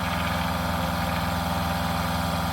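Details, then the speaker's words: Water pump in a camper van drawing about 15 W while filling the plumbing and boiler during a leak test: a steady low hum with a quick, even pulse and no change in load. It runs normally, then stops once the boiler is full. "Ahorita me sorprendió mucho el consumo del de la bomba, eh, o sea, la neta 15 W cuando está trabajando se me hace superb."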